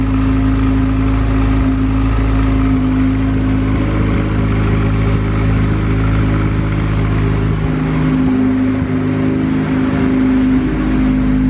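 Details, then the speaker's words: EK Honda hatch with built turbo B16, bought as non-running: loud steady idle with deep even exhaust note, no ticking or knocking, oil pressure reading 80 psi, oil age unknown; normal idle. "oh it's actually idling is there any oil coming out of that feed line damn 80 pounds of oil pressure"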